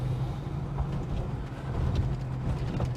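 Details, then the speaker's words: Holden HK driving on road after new cam fitted: deep, steady, solid engine drone under road noise, no knocking or misfire; healthy, though owner feels it is less powerful than the previous cam. "sounds solid. Like I said, doesn't feel as powerful as the last cam, but you know what? Maybe this will be a little bit more economical, I hope so."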